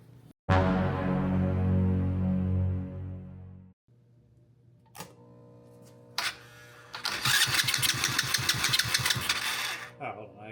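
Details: Honda Grom clone single-cylinder, first proper start after valve adjustment (compression felt low before): fires, stops, restarts into steady fast popping run; idle a little high, to be turned down; runs properly.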